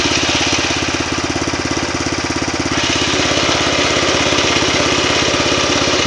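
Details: New MTZ tractor diesel: even chugging about three beats a second with a rougher rattle on top; gearbox noise, cause unknown.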